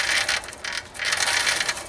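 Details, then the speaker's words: Motorcycle chopper build with Albion transmission, chain turned by hand after clearancing; fast, light metallic ticking and rasping, owner suspects the chain's center pins are hitting the case, to be clearanced when torn down. "So I have a feeling that them pins, the center of the chain, is actually hitting the case a little bit."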